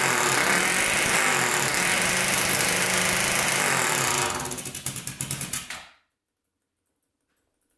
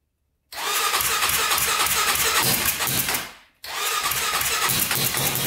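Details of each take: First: 1999 Honda 400EX turbocharged quad, after the carburetor drain bolt was referenced to boost: strong, even high-rev run for about four seconds, then winds down in slowing pulses and stops; runs a lot better, revving out. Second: 1999 Honda 400EX turbocharged quad, 198 main jet fitted: engine fires with an uneven wandering rasp, dies briefly and restarts; rough running, possibly because the carburetor float bowl drain wasn't referenced to boost and air was pushing out of the carburetor.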